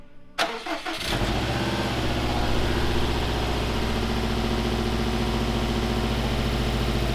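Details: Rebuilt Subaru STI at first start after fresh oil and power steering fluid: it catches after a few cranks and settles into a smooth, even idle. Slight smoke comes from an oil leak burning off the up-pipe, plus one small exhaust gasket leak.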